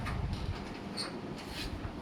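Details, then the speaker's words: Panasonic/KDK fan on speed 5 after masking-tape fix to the upper housing that had hummed: soft, steady airflow rush with no hum or buzz; normal. "Okey tengok ada bunyi tak. Tak ada bunyiah. Yang bunyi sekarang ni kipas angin dia."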